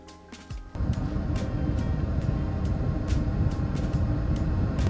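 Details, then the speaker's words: Underslung Autoterm 2D diesel heater with pump beneath a VW Transporter, mic low near it: steady burner-fan roar with faint irregular fuel-pump ticks barely audible after the first few clicks; running normally. "So that means the pump is running. I Yeah. can't even hear it clicking. I heard it click the first 3 times."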